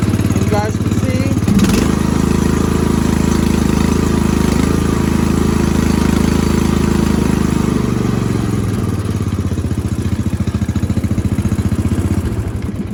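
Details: Lawn tractor engine after adding a vacuum fuel pump run from the dipstick: cranks and catches within a second or two, then settles into a steady, even run; restarts properly without choke.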